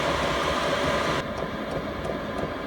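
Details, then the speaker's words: Chinese all-in-one diesel heater in a small van, reaching 16°C target and dropping into tick-over mode: steady fan and burner roar falling to a quieter, lower level; normal transition to low-speed running. "What this heater is going to do now is automatically calm down into like a tick over mode, just to maintain that 16 degrees. So we'll start to hear it slowing down now."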